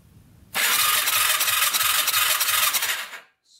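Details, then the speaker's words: 2006 Yamaha YFZ450 ATV with zero spark; high, fast starter whirr for about two and a half seconds with no firing; owner suspects oil in the stator pickup area; cranks but no start. "zero spark all right that's not good i was thinking maybe oil got into the stator pickup area and it wasn't sparking"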